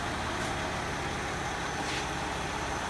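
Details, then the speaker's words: 2000 Mercedes ML320 W163, M112 V6, 18 years old, idling warm after driving with AC running, front-of-engine noise; owner suspects lifters or belt. Dry whirring and faint chatter from belt drive: worn idler pulley. "all this air conditioners running it's just idling I've been driving the car let's get up closer listen [Applause] sounds like some lifters probably some belt boys"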